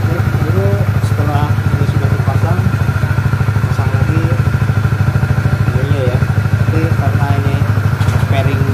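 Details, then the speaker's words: Honda CBR150R facelift at idle after the air filter was replaced and the cover tightened; before, it rattled from a leak at the unsealed cover. Even single-cylinder idle, about three beats a second, rattle gone; normal idle. "Suaranya tidak seperti sebelumnya. Tadi terdengar suara berderak. Sekarang sudah tidak ada; Sebelumnya terjadi kebocoran di sini karena tidak tertutup rapat."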